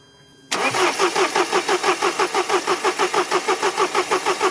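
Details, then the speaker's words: Mercedes after replacing the injection rail pressure regulation valve (fault had appeared around 3600 rpm): starter cranks steadily at about three compression pulses per second without catching; air was in the fuel circuit. "Il y avait de l'air dans le circuit."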